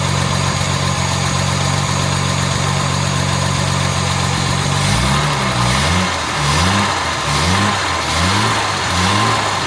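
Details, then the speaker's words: Jaguar MKII after water pump work, radiator refitted and coolant refilled, idle around 800 rpm: steady, even low beat with a few faint light rattles; engine sounds healthy overall, normal idle. "listen to her doesn't she sound good I got a couple of little Ry rles in there but nothing terrible"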